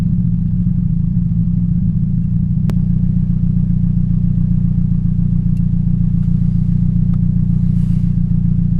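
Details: 2007 Toyota Yaris 1.5L 1NZ-FE at idle. An uneven, lumpy, stumbling beat rides over a steady low drone. This is a cylinder 3 misfire from a bad ignition coil.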